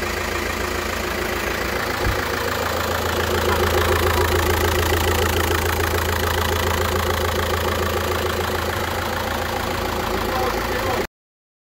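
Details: VW Golf V 2004, 1.9 TDI 105 hp BKC diesel, 6-speed manual, original factory KKK turbo found failed and replaced; diesel idling smoothly with its usual light clatter, steady speed, no turbo whistle or rising whine; normal healthy idle.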